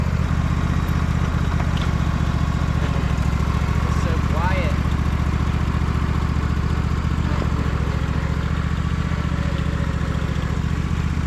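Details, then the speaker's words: Husqvarna riding mower on a test ride after repair: the ruined mowing deck was restored and the shot idler pulley to the transmission replaced. Even, steady low twin putter with blades turning, no misses or knocks; smooth running, quiet transmission. "everything works all the safeties are hooked up I mean it runs incredibly smooth this Mission super quiet deck is super smooth"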